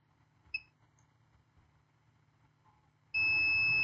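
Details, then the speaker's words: Acer Aspire 3 A315-32 laptop motherboard, no power, 19 V charger plugged in and power supply clicking: brief chirp then steady multimeter continuity tone, 0 ohms on capacitors, a short to ground. "yeah the power supply is clicking I can hear the sound of the power supply clicking that means somewhere somewhow we have a short to ground"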